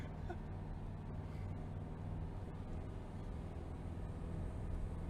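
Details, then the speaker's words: 1966 VW Type 3 Fastback on its first drive with a freshly rebuilt 1776 cc single-port engine on carburetors: steady low drone under road noise, pulling evenly. It accelerates nicely with some rough spots blamed on the carbs; timing still to be checked. "sounds good yeah you can tell there's some weird weird spots and whatever but i kind of expected that with the carbs"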